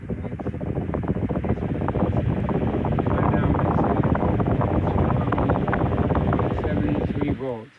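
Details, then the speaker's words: Antique Emerson 21666 fan with a shorted speed coil, voltage brought up slowly without oscillation: motor hum with a steady fast low thump each turn from the blade. "And you hear that boom, boom, boom, boom, boom. That's the blade."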